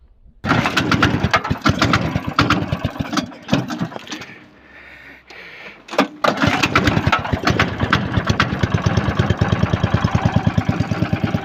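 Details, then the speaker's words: Lifan 190F 15 hp single-cylinder engine in a motorized towing sled, after sitting in the cold: catches after cranking, then a hard metallic tap every stroke on throttle; knock traced to camshaft end play from wear in the crankcase cover. "но только нажал Ручку газа и пошёл стук непонятный такой металлический Явный Сток"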